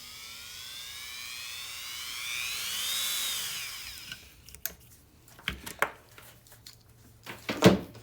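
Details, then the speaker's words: Dremel rotary carving tool run at low speed through a variac: even motor whine rising and easing as speed is turned, no surging, then stopping amid handling clicks; normal low-speed running. "once you get the high speed it's fine in the variac it runs smooth at low"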